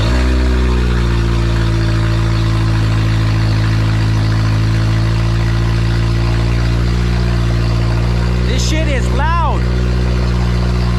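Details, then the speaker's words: First start of a freshly built Honda K20A2 engine after the swap: loud, deep, steady idle with an even rhythm and no knocks or ticks. Normal running after engine swap. "to take care of tomorrow all I wanted to do was make sure this thing turned on and uh you know I'm shaking for some reason that is the sound of the new engine guys"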